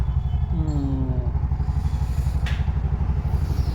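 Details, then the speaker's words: Bajaj BS6 auto-rickshaw, over 2 lakh km, after timing chain and engine work, no check light: steady, even low thump about four beats a second, no ticking or rattle; engine OK and quiet, though an injector is not firing on CNG. "Engine ಎಲ್ಲ okay ಇದು sound soundless ಆಗಿದೆ ಗಾಡಿ"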